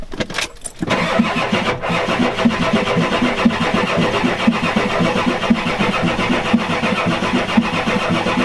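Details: 1993 Ford F-250 7.3L IDI diesel, glow plugs disconnected (boots burnt), fuel now reaching, trying ether: steady cranking about one beat a second, never catches.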